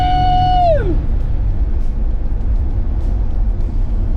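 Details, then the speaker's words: Chevy S10 on road acceleration test after a valvetrain (rocker arm) adjustment: steady engine rumble after a fading tone, no tapping or ticking; previous noise gone, engine sounds healthy. "but there's no noise that is awesome so our adjustment worked"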